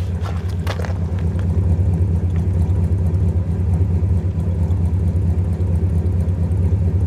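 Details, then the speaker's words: 1966 Chrysler Newport 383 V8 with 727 TorqueFlite, cold start after sitting a month, choke off, exhaust heard: deep V8 burble with slightly uneven, lumpy beat; rough cold running, cause not pinned down despite points, condenser and carburetor work. "now let's see what the exhaust sounds like she's not really warmed up yet and i took the choke off"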